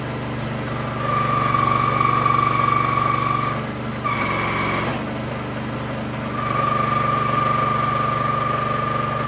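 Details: New Harbor Freight Predator 212cc engine on a Prime Mover forklift that sat outside 15 years, on straight gas with stabilizer, first fire-up: steady even idle with a constant hum and a brief dip mid-run; normal idle.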